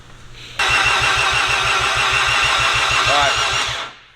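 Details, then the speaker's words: Rotary engine on its first start attempt, cranking at about 200 rpm: slow, even pulses around a steady whirr that never catches, despite a few puffs earlier. It is flooded, with the trailing plug soaked. "I mean first is cranking way too slow yeah it's got it it's cranking at 200 RPM it actually gave me a little more Puffs in our first attempt at cranking is there a possibility it's flooded"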